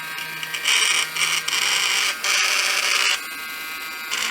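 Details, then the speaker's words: Samsung Jet 90 Pet vacuum turbo brush after disassembly and repair, with the belt not yet replaced: steady high-pitched motor whir with brief dips, no rattling, and the loud whirring clearly improved but not perfect; normal running. "I think the improvement is significant. I'll leave it at that."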